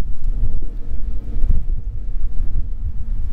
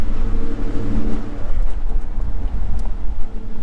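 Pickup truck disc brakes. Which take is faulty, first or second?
second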